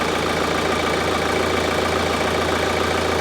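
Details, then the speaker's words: VW Golf Mk5 GT TDI diesel, first start after fitting an aftermarket turbo: rough idle clatter with continuous hissing puff, something blowing near the turbo at the back; engine light on; leak source suspected, not confirmed. "I'm going to let it sit and it's blowing from somewhere."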